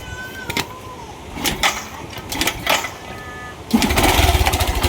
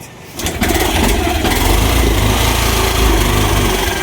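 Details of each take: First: Yamaha YTX 125 with sidecar, formerly misfiring, broken starter: after repair the engine catches and runs steady and even, no misfire, but the bike still won't move in first gear, so a clutch problem is confirmed. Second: Yamaha YTX 125 motorcycle with sidecar: catches and settles into an uneven, stumbling idle with irregular low thumps, misfiring; also won't move off even with clutch released, long-standing issue.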